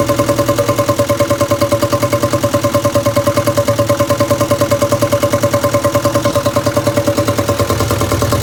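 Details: 1962 Land Rover Series 2A 2.25L diesel, after timing set: steady heavy chuffing beat a little over three per second with hard clatter, running rough because rocker adjusters were left completely loose after exhaust-peak check, excessive valve clearance.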